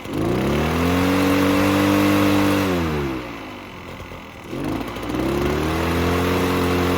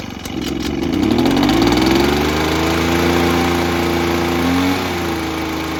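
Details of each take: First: Echo PB-403T two-stroke backpack leaf blower that sat for years, on choke: revs climb to a buzz, hold, sag and recover, won't rev to full throttle, smoking; bad fuel suspected, carb cleaning planned. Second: Echo PB-403T two-stroke backpack blower that sat for years and earlier ran only on half choke, stalling and not revving: started with choke on after priming, it climbs smoothly in pitch and holds an even buzz. Normal idle and revving after the work.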